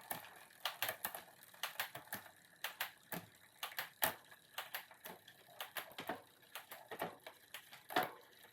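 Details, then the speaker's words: SRAM-equipped bike's rear derailleur one tooth out of index: sharp, uneven metallic clicks, two or three a second, as the chain catches on the cog, wanting to shift up. "so that's what's up with it you can hear it it's clicking it's wanting to go up so it's too high up"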